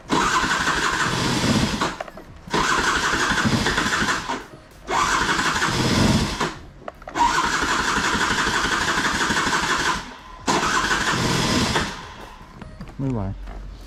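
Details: Piaggio Skipper 150cc scooter, carbureted, hard to start, engine very loud: revved in repeated bursts with a loud, harsh, rough roar between pauses, from a seized piston.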